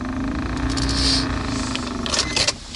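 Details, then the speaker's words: Suzuki Grand Vitara cabin heater blower motor, reassembled after cleaning and lubrication: steady droning hum with a rough, uneven buzz, even louder than before; worn bushing play, motor finished and replaced with a new one. "Люфт, ну люфт, соответственно, конечно, есть. Не знаю, как получится после сборки, но сейчас скоро проверим уже."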